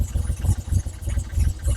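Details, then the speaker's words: Triumph Trident T160 triple, already warm, first start after re-jetting carburettors for poor running around 2,500 rpm and exhaust rocker box removal for an oil leak: catches instantly, steady even low burble, no misses; normal idle. "Immediate gray tick over. Good."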